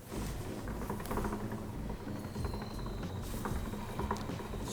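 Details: Bicycle rear tubeless wheel spun in a stand: soft irregular patter, not from the hub; a dried, hardened clump of sealant tumbling inside the tire.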